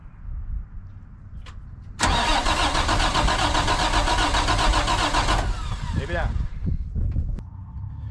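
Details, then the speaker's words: International 4900 diesel bucket truck that sat for 5 years: starter turns the engine over at a steady rhythm for three seconds but it never catches; air in the fuel system, needs bleeding. "right we have to try to bleed this but i'm by myself so how can we do this"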